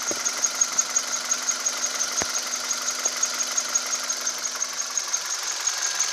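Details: 2010 Kia Cerato: a thin, steady high-pitched squeal over a quiet idle with faint ticks about three per second, source unknown. High-pitched engine noise.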